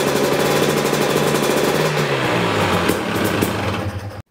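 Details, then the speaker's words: 2019 KTM 250 EXC TPI two-stroke, just over 50 hours: even, crisp buzz at steady throttle with constant pitch, no misses or surging. Normal steady-throttle running. "so if your bike is running okay this is what it should sound like it's steady throttle"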